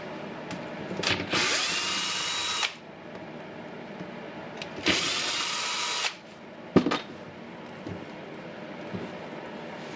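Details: Milwaukee M18 FMT multitool before repair with a Makita 211392-4 bearing: short bursts of a harsh, buzzy, gritty high-pitched whir each time the tool runs, a faulty bearing.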